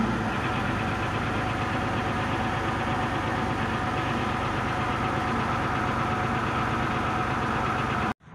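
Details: MTZ 1523 tractor, diesel, 3,346 engine hours, just started: steady, even diesel clatter at low idle with no misses or knocks; runs smoothly, normal idle.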